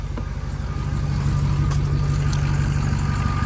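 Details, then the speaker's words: 2006 Ford F350 6.0L Power Stroke diesel after replacing the turbo VGT solenoid: steady even idle with faint belt squeal and no turbo air hiss; owner thinks it may be fixed. "look it I don't hear the air hear it I heard a belt squealing but I don't hear there's no air hissing"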